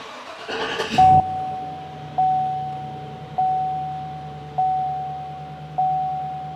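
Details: 2015 Chevy Silverado (2500HD) at 197,121 miles, under 200 miles after an oil change, restarted after battery reconnect following a reported knock repair: brief crank catches within a second, steady quiet idle under a repeating dash chime; normal start.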